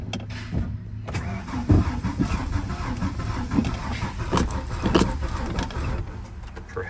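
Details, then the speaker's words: Ford F-150 that won't start even on starting fluid: slow, labored cranking in uneven bursts on a weak battery. Ignition is found faulty from a failed ignition module; owner speculates a missing heat-sink screw let it overheat. "it is an ignition problem"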